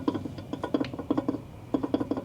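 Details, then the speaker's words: Tesla Model S front suspension, arm rocked by hand with the car apart: short hollow clunks in quick bunches from free play, the source of a long-standing rattle over bumps that sway bar links didn't fix. Worn upper control arm ball joint. "that's the ball joint hear that Bingo it's the control arms"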